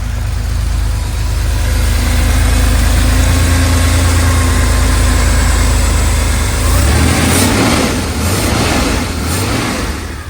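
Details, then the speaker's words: 1982 Porsche 911SC Slantnose, revived after 20+ years sitting, after cleaning the CIS fuel distributor, new plugs and fuel filter: even idle that climbs cleanly through blips and settles back, while blowing heavy smoke, likely oil. Normal revving. "Wow, this thing sounds good though. It's running so smooth."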